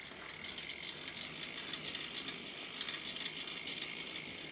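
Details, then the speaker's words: Mountain bike drivetrain, just washed without degreasing and with fresh chain lube applied: dry, gritty ratcheting rasp with uneven clicking as the cranks turn. Dirty, poorly lubricated drivetrain, expected to improve after the lube sets. "Dude, this drivetrain is so loud right now. Just sounds dirty. Sounds pretty gritty, but should sound better in the morning."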